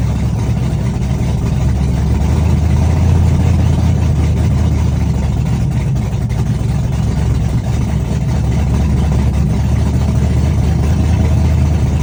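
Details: Chevrolet S-10, first cold start of the day, open headers, Holley red electric fuel pump, cam about .480/.488 exhaust lift, ~297° advertised duration: loud choppy idle with uneven loping beat and deep exhaust rumble; normal big-cam idle.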